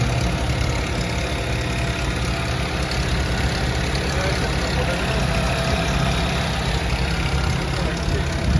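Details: Nissan GA14DNE engine, owner wants to replace head gasket: steady fast idle with dense loose rattle over low drone, source being diagnosed, not confirmed; engine rattle at idle.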